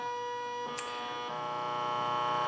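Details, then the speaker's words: Stepper motor run across step times from 80 ms down to about 0.5 ms per step: steady, even whining tones with no skipping or stalling. Normal stepper motor running. "donc j'ai étudie j'ai regardé mon moteur dans une large gamme de vitesses marche tout à fait convenablement"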